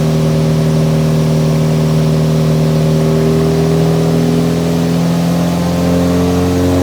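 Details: Nissan 180SX Type X, SR turbo four with TD06 20G, on the dyno at 15 psi with injectors maxed near 255 rwkw: strong, even pull, pitch climbing smoothly with no misses or knocks. Healthy engine under load.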